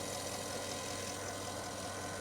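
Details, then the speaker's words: Porsche Cayenne idling after belt tensioner replacement and retightening loose water pump pulley bolts: steady, even hum with no chirp or squeak; auxiliary belt screech fixed, belt drive quiet and healthy. "That sounds good. Well, hopefully you can hear that. No noise. It's almost like I did that by the power of touch."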